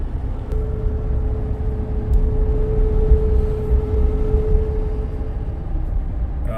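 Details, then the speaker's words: 2013 Chevy Silverado 5.3, transmission believed to be 6-speed, on a road test at about 30 mph after it would not go faster, no codes at first: a steady mid-pitched whine over road rumble. Mechanic suspects internal clutches grinding and cooked fluid; later a check engine light and suspected limp mode. "But that noise you heard, that's almost like clutches that are grinding internally, so I'm going to think the fluid is probably cooked."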